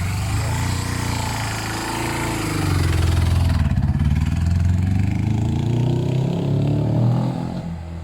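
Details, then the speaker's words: Suzuki GS500 twin after carb clean, carb balance and fuel lines simplified, running without airbox; low steady twin burble picks up cleanly on throttle and settles evenly with no misses; running well. "sounds much better yen ii tell him when he comes back that's running well that's running nice"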